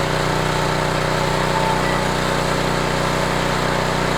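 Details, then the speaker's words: Homelite HGCA3000 3500 W generator after new carburetor and head gasket, about 1500 W heater load: steady even drone holding speed, no hunting, misses or knocks, 123 V, 61.2 Hz; healthy generator under load. "still putting at 123 Vols 61 23 61.2 Herz"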